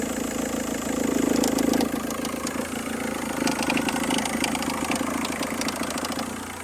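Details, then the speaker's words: Engine idling after the car's inspection, following an oil-in-coolant repair: uneven light ticking and rattle over the idle, located somewhere inside the engine, source unclear; unidentified engine noise at idle. "es aquí el ruido que hace es aquí dentro"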